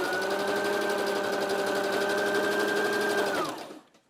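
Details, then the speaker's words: Sewing machine tested on straight stitch after repairing knocking and braking on zigzag: runs steadily at about four stitches a second, smooth and even with no knocking, stitch perfect top and bottom. "так ну и проверяем машину прямая строчка стрижка нигде не стучит строчка смотрите идеально и сверху и снизу"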